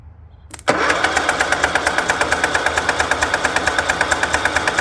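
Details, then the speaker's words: Craftsman lawn tractor with Kohler 16.5 single-cylinder engine, left outside and trampled by goats, on battery: cranks about three strokes a second with even compression, never fires; crank no start from fuel starvation. "let me get something throwing down the carburetor see if she'll bust off that's just gasoline down the neck of the carb"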